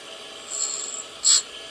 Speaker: >> As you can hear, it's cuts again as I retract.